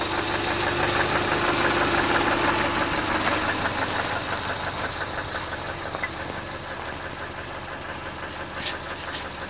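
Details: 2000 Subaru Outback Limited running: sharp evenly spaced knock about three per second, following engine speed; began only when cold about 12,000 km ago, now constant, unchanged over 5,000 km; owner suspects rod knock or piston slap.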